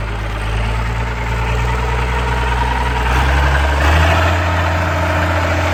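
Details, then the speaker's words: Allis Chalmers 190XT diesel tractor being brought back to life, idling with a low, uneven thrum and a faint thin whine on top, which the owner is pretty sure is the alternator. "And then that annoying sound you guys keep hearing, I'm pretty sure is the alternator,"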